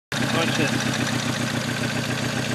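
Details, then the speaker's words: Petrol engine idling unevenly with a lumpy, stumbling misfire that runs fine only while a plug lead arcs over; new spark plugs fixed it. "Let it idle. Let it arc right over. Runs fine. Right there. Take this away. Runs like shit."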